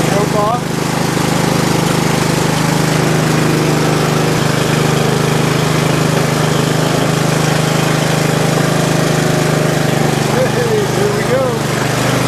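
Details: Bolens riding mower single-cylinder started with choke after valve cover regasket and battery charge: catches and settles into steady even low drone, no misses or knocks; runs healthy.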